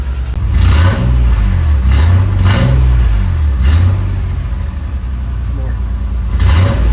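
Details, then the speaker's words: 1985 Nissan 300ZX (Z31) manual after new catalytic converter gaskets and gutted cat: several strong throttle blips, deep exhaust rising and falling cleanly with no leak ticking or puffing; normal revving. "Rev give it some more it's it's pretty phenomenal"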